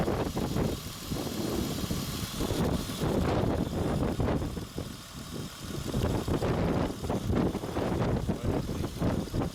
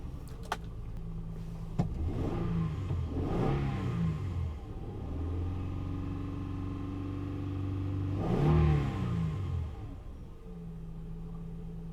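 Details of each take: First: 2003 Honda Odyssey 3.5L with P0305 misfire, jumper wire feeding power to cylinder 5 ignition coil: steady, even idle with low rumble, no stumble; normal idle once the coil gets power. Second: 2003 Honda Odyssey 3.5L V6 with code P0305 and check engine light on: starts into an unsteady, lumpy, shaking idle with an irregular beat; misfire on cylinder 5 from an ignition coil not firing.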